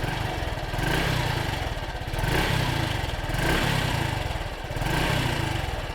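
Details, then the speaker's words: 2013 Honda Super Cub 110cc motorcycle just after its first cold start of the day: a couple of throttle blips, the quiet single-cylinder putter swelling and falling evenly with no knock or rattle; normal free revving. "It's very quiet. It's a little louder than the Scoopy moped, but not by much. Let me give you a couple of blips of the throttle."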